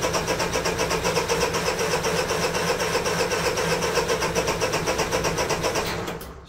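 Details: Honda EU3000is generator that pull-starts but won't start on electric starter, unrun since June, likely flooded: starter spins briskly and evenly about four beats a second for six seconds without firing; no spark.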